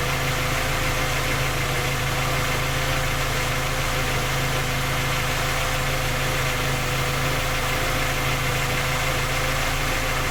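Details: Skoda Octavia A5 facelift 1.6 MPI, engine knocking when cold despite three engine repairs that did not find the fault: steady idle with a faint, uneven light knock over the engine note; source not pinned down.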